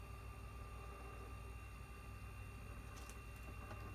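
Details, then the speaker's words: Haier 10.1 cu ft camper fridge after repair, previously not cooling and only clicking: steady low hum with constant high tone and faint gurgling of refrigerant moving as the compressor comes to life; running normally. "well it sounds like it's only just now gurgling to life like it was making the fridge buzz but now I hear like things moving"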